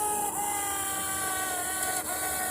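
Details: Faulty fuel pump pigtail connector, connection restored: steady electric hum with a fixed whine runs about two seconds, then cuts off; fuel pump priming normally.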